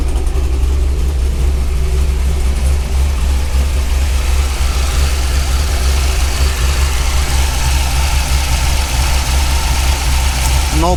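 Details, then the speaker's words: 2003 Corvette C5, 18 years old, bought at auction, first start at the lot with no brakes or brake fluid: deep, loud, steady V8 idle burble with heavy low rumble and little muffling; catalytic converters missing, owner unsure it sounds right. "oh i am not sure if it sounds like how it's supposed to sound i don't know but again i didn't find any catalytic converters so"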